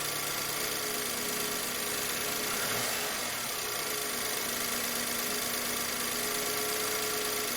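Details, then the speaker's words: 2008 BMW E90/E91 318i after new spark plugs and coil packs: even, steady idle with no stumble or shake, the misfires gone. "so so great news um these fires are gone so don't have to worry about injectors now because those are really expensive"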